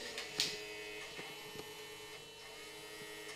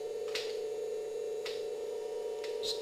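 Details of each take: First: 1994 Philips VCR with a cassette stuck inside, powered on: faint steady loading motor whine with a few light clicks, nothing engaging, shuts off after seconds; main loading belt found missing. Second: 1994 Philips VCR after replacing the missing main loading belt: fast forward and rewind give a steady mid-pitched motor hum with light clicks, even tape wind, no dragging or squeal; transport normal.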